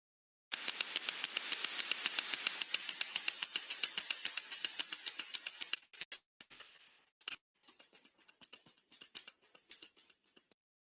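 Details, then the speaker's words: Ultrasound-sensor recording of a planetary gearbox bearing: sharp, high-pitched clicks at about four per second, fairly regular, then scattered ticks on a quiet background, which is impacting inside the bearing that the ultrasound picked up. "you can see inside this planetary uh bearing a impacting occurring within the as you can see here therefore this is ultrasound picked it up ultrasound and you can see the impacting"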